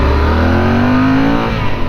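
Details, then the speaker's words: Yamaha parallel twin ridden on road on a warm day: strong, even low drone with firm rising pull under throttle, no knocks or rattles; healthy, sounds like a V-twin. "you know i used to think this bike sounded bad but it really sounds good i just listened to it"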